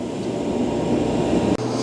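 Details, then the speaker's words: Speed Queen STT30 stack gas dryer after gas valve replacement: igniter sparks, blue flame lights, sail switch working; even low roar from burner and blower with no clicking, scraping or surging; running properly. "We hear it sparking. Ooh, we got flame. Go you up underneath. Nice blue flames up under there."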